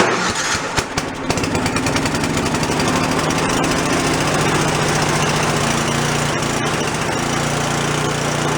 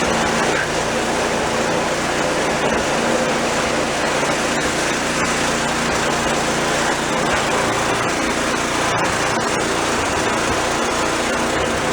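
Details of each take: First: Free old snowblower small engine, first start after cleanup, no choke: chugs unevenly, speed hunting; no idle circuit, idle adjusting screw gives no response; carburetor idle circuit blocked, carb to be soaked in ultrasonic cleaner. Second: Old snowblower small engine after drive cable/spring repair, function test: loud steady constant-speed running with no stumbles or surging; runs healthy, only brake needs adjusting.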